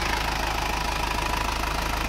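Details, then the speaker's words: Circa-1997 Isuzu Panther diesel with so-so nozzles, after radiator, hose and oil-cooler repair and thermostat fit, not fully warm yet: steady, even idle clatter with regular firing, no hunting or shake; said to improve as it warms. "ini semakin panas semakin enak ini belum begitu panas Tapi nanti kalau sudah semakin panas ini semakin enak"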